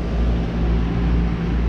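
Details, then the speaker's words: Outdoor AC unit after replacing the noisy single-pole contactor: steady, low, even hum, running nice and quiet with no buzz or chatter. "okay so I've turned it on and it's nice and quiet so that was making the noise"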